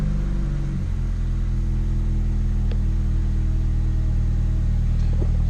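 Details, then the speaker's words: 2005 car on a used-car inspection, at startup: loud, deep, blatty rumble far heavier than stock; exhaust leaking badly, needs repair. "know if you guys would be able to pick that up or not but it actually has a sounds like spelt like a fart can on it because the exhaust is actually leaking pretty good"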